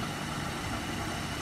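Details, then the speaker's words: Buick Enclave/GMC Acadia/Chevy Traverse: steady even idle keeps running after ignition is turned off; likely corrosion from a leaking sunroof keeps the fuel pump relay powered, and pulling that relay stops the engine; engine runs on. "most likely you are having the same issue like i did first of all you need to shut the engine down how you want to do it you turn the ignition off but the engine is still running"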